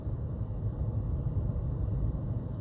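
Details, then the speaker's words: Hcalory 8 kW all-in-one diesel parking heater running normally on setting 1: a soft, steady low rumble with no fuel pump ticking or surging, quiet while heating the space. "Barely even noticeable. I wouldn't even notice it unless you told me. Yeah, she purr."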